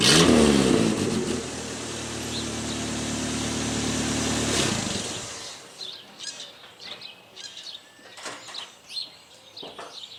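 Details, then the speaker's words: 1988 Dodge Dakota 2.2 L four-cylinder, 5-speed: loud raspy open exhaust note at idle and through a rev before shutdown; exhaust leak, pipe slipped out of its clamp under the truck. "okay up under the truck here and yeah there is your problem pipe slipped out of the clamp there that'll do it"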